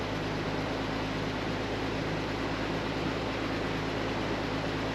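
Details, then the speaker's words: 36-year-old Toyota Land Cruiser 60 Series, cold start after 24 hours sitting, following fuel sender cleaning and fuel line rework. A steady, even low idle with no fuel pump whine or misses; temperature reads well below midway. A normal cold idle. "it's a pretty smooth cold start can't hear the fuel pump which is good listening for that wine"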